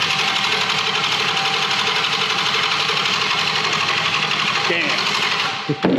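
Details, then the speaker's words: 2021 Hellcat Redeye V8 on a test-fire setup out of the car, no cooling yet, no gas in it. Loud, even starter grind at about ninety beats a minute that never catches, then cuts off; crank no start, out of fuel. "Well, that's fine. Stuff happens. Sometimes it doesn't fire right up. It needs fuel. So it needs fuel."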